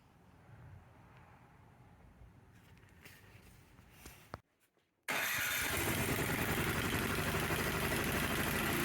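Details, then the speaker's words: Snowblower engine test run after cleaning the carburetor pilot jet to cure surging, air box cover still off: after quiet handling noises it starts and runs at a steady, even fast speed with no surging or hunting. "we can now do a test run of the engine to ensure our repair was successful when the throttle is moved to the right the engine rpm should drop down to a nice slow idle"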